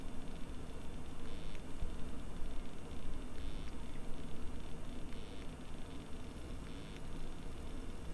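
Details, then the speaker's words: Bare hard drive buried underground in a freezer bag for a year, after recovery, copying a small file with microphone moved close: quiet steady hum with soft seek ticks, no grinding or hard clicking; no longer making the earlier horrible noises, reads at about 13 MB/s. "let me move the mic so you can hear this it's not making those horrible noises anymore"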